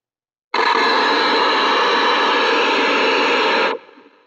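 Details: Old small bench power supply set to 6 V feeding a radio in place of its batteries, before building an ETI-131 supply: loud steady hiss switches on abruptly, holds about three seconds, then cuts off; RF noise on the supply output.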